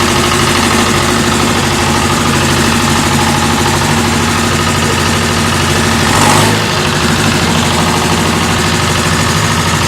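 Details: David Brown diesel tractor, which had been hard to start (a flat battery was questioned, throttle linkage checked): the engine settles into a steady, even idle with a low thrum and no misses or knocks; now running fine.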